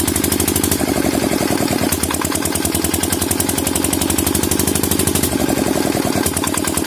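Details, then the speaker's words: Single-cylinder diesel engine thumping unevenly, its speed surging and dropping; it was smoking and would not take load. Diesel misfire with hunting rpm. "जैसा कि आपने अभी हमारे engine की स्थिति देखी, यह धुआं छोड़ रहा था, कोई भार नहीं ले रहा था, और आप इसे मिसफायर भी कह सकते हैं।"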